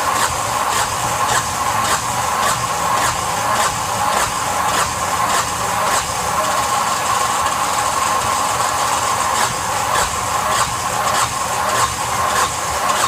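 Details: Yanmar SB12 marine diesel, cold day (about 41°F), after bleeding the line at the fuel injector: starter cranks in a steady rhythm but the engine never catches, air in the fuel line.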